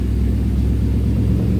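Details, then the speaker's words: Mercedes M113 5.0 L V8 swapped into a Ford Capri, cold start after replacing a dead pump, fired up on the key: deep, steady V8 rumble at even fast cold idle, much quieter, no misfire or knock. "Much quieter. Oh, that's cold start. That's not freaking bad. She fired up on the key as well."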